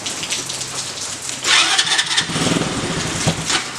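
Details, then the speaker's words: Tao Tao 110cc go-kart engine with a new fuel filter fitted. It cranks, catches briefly and runs raggedly for a second or two, then fades out. The owners suspect the carburetor and plan to replace it. "Do it again. Give it like feather it almost. When we start it. It's the carburetor. It's a carb."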